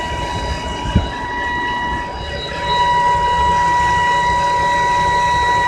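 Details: 2010 BMW E90 325i: steady high-pitched whine from the engine bay over running noise, comes and goes, gone after restarting but returns next day; cause not identified.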